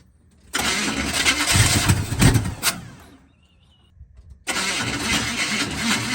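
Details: 2001 Audi A4 wagon: long, uneven cranking churn for about two and a half seconds, a pause, then a rough catch and run. Hard start, and the engine doesn't sound good.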